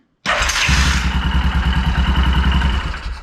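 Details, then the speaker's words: 2001 Yamaha Kodiak 400 ATV, starter already replaced: uneven cranking chatter around three beats a second with stuttering slipping whirr, rotor speed changing, worse as it heats; one-way starter clutch bearing believed slipping. "it's that bearing in there I believe the bearing is slipping"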